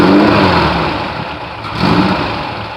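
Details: 1972 VW bus air-cooled engine, first run in nearly 30 years (last registered 1990): blips up and drops back twice, pulls freely and settles without misfires; running properly after long storage.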